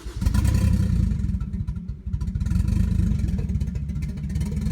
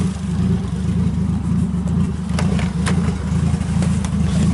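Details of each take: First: Nissan 240SX S13 with a 1JZ swap at first start-up idle in the shop, mass airflow sensor unplugged: heavy, lumpy low rumble with uneven, stumbling firing; running rough and rich, shop left smelling of unburnt fuel. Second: Nissan 240SX S13 with a 1JZ swap, running with few gauges and the battery not yet properly mounted: steady low engine note with an even pulse and no knocks or misses; sounds good, running normally.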